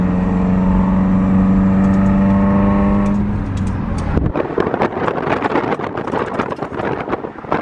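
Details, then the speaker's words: 2015 Subaru WRX on the main road with a damaged exhaust pipe hanging low: banging, scraping and scratching knocks come through over engine drone and road noise as the pipe hits underneath. "So I'm actually not sure if you guys can hear that, but it's banging and scraping and scratching, and it's all the wrong noises you do not want to hear."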